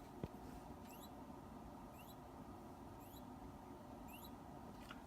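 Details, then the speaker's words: B7971 nixie tube clock on SmartSocket boards, three tubes lit on 170 V: faint rising zip about once a second during a fading animation effect; the tubes' cathodes are singing, which the builder worries stresses them and shortens tube life. "don't know if you could hear the little zip, zip, zip noise from the animation. That kind of disturbs me, that I can actually hear the filaments being activated and deactivated as it fades between them."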